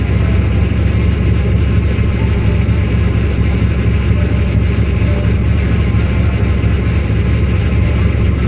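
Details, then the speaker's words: Four-valve Mustang V8 idling steady with a lumpy low rumble, intake manifold runner control flaps tied wide open, no mass air flow sensor fitted. "and it ran funny it took long to start all type of weird stuff"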